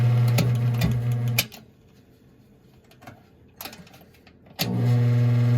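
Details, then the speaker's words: 1950s GE box fan with replacement motor, after one hesitant start: smooth steady mains hum, cut for ~3 s and restarted cleanly, runs both directions; fan motor healthy. "Works in both directions. So I'm pretty happy with that."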